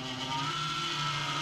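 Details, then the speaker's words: PC case fan turning too slowly, giving a steady airy whir with several fixed humming tones; found by stopping each fan by hand to isolate the noise source. "이게 회전수가 일정하게 나와야 되는데 회전수가 회전 속도가 느리면 이런 증상이 보여요"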